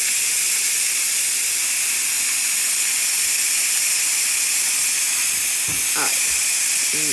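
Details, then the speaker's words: Instant Pot pressure cooker making beef stew, venting after cooking: steady loud hiss of steam rushing out without pulsing or sputtering; normal pressure release taking a couple of minutes until the pin drops. "But this is what it does. It's just releasing. This might take just a couple minutes. It's not super long, but it's also not super, super fast."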